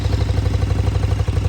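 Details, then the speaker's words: 2014 KTM Super Duke 1290R V-twin with over 57,000 km, at idle: lumpy idle with a light clattery edge on each firing pulse; owner suspects the valves need checking at the next plug change, cause unconfirmed. "You probably can hear there is a problem with them when we get it started. You hear the old foot pump ticking over."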